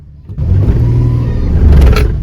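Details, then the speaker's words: 2010 Dodge Grand Caravan in reverse with throttle, before adding Lucas Transmission Stop Slip: the engine flares with a deep rumble, revs climbing without matching pull, and it shudders. Transmission slipping in reverse. "Hear that? Yeah, that's pretty bad."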